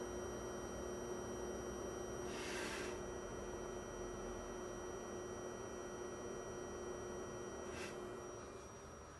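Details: Fengmi Cinema Pro 4K projector: a steady, thin high-pitched whine over soft fan hiss, unchanging, from coil whine; loud enough to make quiet movies unwatchable.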